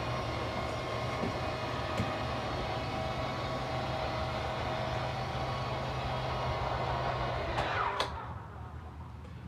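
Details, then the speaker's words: 2022 Jayco Eagle HT 29.5BHDS travel trailer slide-out: even motor hum for about eight seconds ending in a clunk; this noise is normal and just means the slide has reached full extension, same on the way out. "yeah also that scary noise that is normal it just means you're fully extended so don't be afraid if you do hear that noise same thing on the way out"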